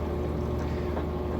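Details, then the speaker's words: Used Whirlpool HE washer on its high-speed final spin: steady, even low hum with a smooth whoosh and no knocking or rubbing; spinning fast, smooth and quiet, normal. "but there you go, nice, fast, smooth final spin cycle, nice and quiet."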